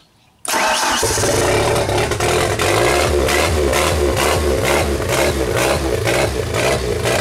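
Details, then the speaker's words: 1992 Genie boom lift, restored, running with a new throttle/governor control box. Starts promptly, then revs surge up and down in a steady cycle instead of settling; engine speed hunting, possibly due to the controller, still being troubleshot. "Well, it technically worked, but there's some oscillation going on. Now, is that due to the controller? Maybe."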